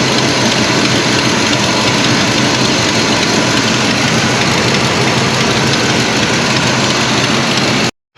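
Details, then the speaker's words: 1973 Oldsmobile 98 V8, 66,000 original miles, revived after years off the road, heard at the engine: smooth idle with loud, sharp hissy puffing from an exhaust manifold gasket missing an entire chunk. "Obviously you can hear, I'm sure you can hear it's actually missing an entire chunk of gasket right at the manifold. So that's why it's so loud right there."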